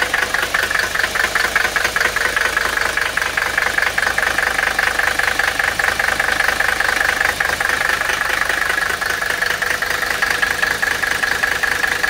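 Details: Mercedes OM617 300TD with HX30 turbo and Benzforce 7.5 pump, after re-timing from 24° (grey smoke, idle miss) to 26° BTDC: an even diesel idle clatter at about 2.5 beats a second with no misses; a clean idle.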